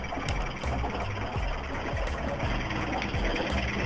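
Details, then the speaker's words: Discarded washing machine, connected and switched on: low hum with faint irregular clicking, louder behind the back panel; clicking from faulty drive motor, later replaced. "Seems to be working, but there's this clicking sound, as you can probably"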